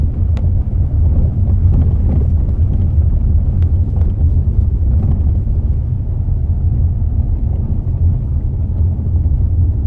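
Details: Mazda 6 driving on road: sharp, irregular knocks and squeaks every second or two over the road rumble, from a worn front strut top mount bearing; reported to the dealer for warranty repair.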